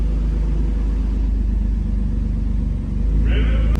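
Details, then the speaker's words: Infiniti G35, very high mileage, newly twin-turbocharged, up to temperature: steady even low rumble, no knocks, misses or hunting; no issues, no fluid leaks, slight heat wrap smoke. Normal warm idle. "But other than that, car's looking like it's doing pretty good. No issues so far."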